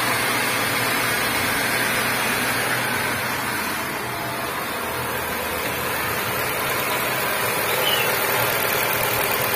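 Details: Nissan Grand Livina petrol engine at its first start after an overhaul (it had seized because oil would not circulate): a steady, even idle with a light tick about four per second and no misses, while being checked for oil leaks. Normal idle.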